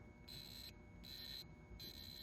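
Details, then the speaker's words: Williams System 11b Black Knight 2000 pinball lamp matrix, probing after a replacement transistor was swapped in. The logic probe's high beep switches on and off about every three-quarters of a second, so the previously dead strobe line is pulsing normally again. "That's the one that was dead before, so it's working."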